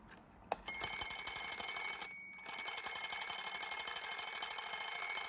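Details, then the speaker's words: IKEA DEKAD alarm clock after re-soldering the black wire that had come off the battery holder: fast even metallic bell ringing with short pauses, clear bright ring, no rattle or dropouts; alarm works normally. "ก่อนไปส่งคืนเจ้าของขอลองอีกรอบนึงครับตั้งนาฬิกาปลุกมาตีเหมือนเดิมครับ"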